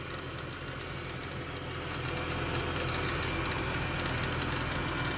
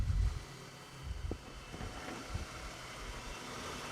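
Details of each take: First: 2010 Ford BF Falcon wagon just restarted after replacing the water pump and thermostat and topping up coolant. Even fast clattering tick about four per second over a hiss. Owner thinks it settles. Clanky noise after restart. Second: 2010 Ford BF Falcon wagon idling after replacing the water pump. It was clanky at first, then settled. Low smooth even idle, no squeal, chirp or clatter from belt or pulleys. Mystery noise fixed. Normal idle.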